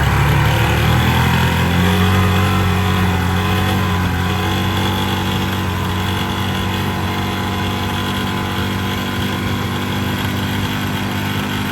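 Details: 2006 Yamaha Rhino 450 with thicker-weight oil added to soften knock: single idles a bit uneven with dull low knock each firing about four per second; rough idle, owner suspects low-end knock, cause unknown.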